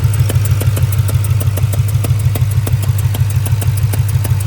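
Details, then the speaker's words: 2002 Ford Mustang GT 4.6 2V V8 at idle: sharp, even ticking that disappears when throttle is applied, suspected as a spark plug leaking compression (about to blow out); spark plug compression leak. "And from the video that y'all just watched, you could hear the engine ticking pretty good at idle. But the second you give it gas, that tick goes away."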